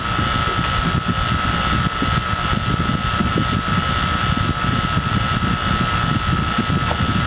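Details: Harbor Freight replacement vacuum pump evacuating a Toyota AC system: steady even mechanical drone with constant high whine on top, no surging or grinding; vacuum pump running normally.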